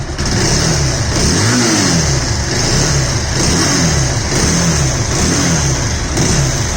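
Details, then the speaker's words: Bajaj Pulsar 220F engine repeatedly blipped up and down with a harsh, rough, uneven note; customer complains of bad engine sound, cause not yet identified. "Low 220f और इसका हो चुका है sound खराब जैसा कि अभी सुना है आपने"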